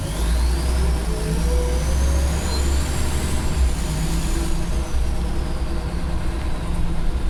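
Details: Former Go Ahead North East Scania bus, diesel: an extremely loud high turbo whistle rises and falls with revs over a deep rumble, with engine ticking also noted.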